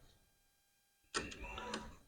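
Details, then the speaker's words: 1992 Camaro RS with rewired electric fuel pump, circuit triggered manually to simulate ignition on: sharp relay click, then a short soft electric whir as the pump runs; relay and fuel pump working. "Hear the relay coming on. Should be able to hear fuel pump. I don't know if you can hear it, but fuel pump's working."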